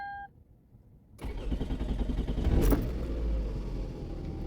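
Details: 2005 Toyota Camry 2.4L after fuel injector replacement for code P0171: after a second of quiet it cranks briefly, catches cleanly and settles into a steady, even idle; healthy start.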